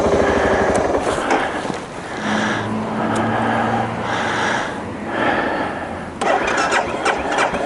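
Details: 2012 BMW Sertao G 650 GS single, about 3,150 miles, cold at 40.9°F, recurring starting issue (6th time): repeated few-second starter bursts that never catch; cranks but won't fire, cause unconfirmed (decompressor lever suggested).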